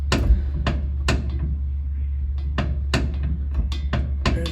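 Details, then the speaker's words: 1961 Ford F100 rear differential with heavy slop, before fitting new side gears, spider gears and pin: sharp, heavy metallic clunks over a low hum, loud when shifting, going reverse to forward or tapping the gas; source still unconfirmed. "awful clicking noise inside of there too and that noise is very loud when you're shifting gears or when you're going from reverse to forwards or when you're just um tapping the the gas pedal and it takes up the slack it's like a heavy metallic Clank inside the rear end"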